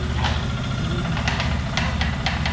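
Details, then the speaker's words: CFMOTO 150 NK single-cylinder motorcycle: sharp, hollow knocks at roughly four a second on acceleration, from piston skirt slap. Blamed on overheating or excess stress and on skipped maintenance or old oil; the piston was replaced. "On appelle ça un cognement de la jupe du piston. C'est généralement dû à des températures élevées ou à des contraintes excessives."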